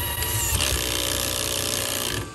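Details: HB R1001 Ford Bronco RC crawler, before fix: throttle applied, then shifting gear. Over the motor whir, a harsh scraping grind rises as the gear goes in, then fades. The gear is not fully engaging.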